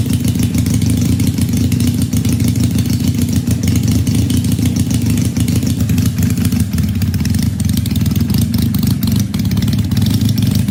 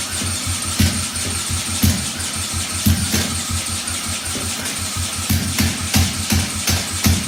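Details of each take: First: 1968 Honda CL175 twin with supercharged EFI on E85, injectors now working, 34-degree garage: loud, even low drumming steady for ten seconds with no misses or stumbles; healthy cold idle on both cylinders, tune still to be refined. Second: 1968 Honda CL175 with supercharged EFI on E85, started by drill: lumpy, uneven idle with a hard pop about once a second; only the left cylinder fires, right plug sparks but is bone dry from a stuck-closed injector.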